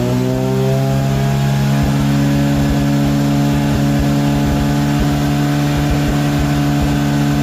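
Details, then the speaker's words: Mazda RX8 with 13B REW turbo swap, noise retest after failing an engineering inspection (about 94 earlier), 3-inch exhaust with original mufflers: smooth rev to a high, even, muffled buzz with no rasp or leaks; now 90.2 against a 90 limit. "I dare say we might see yeah, 89, 90, which is good. 90 is the number that we need to be at. So happy days there."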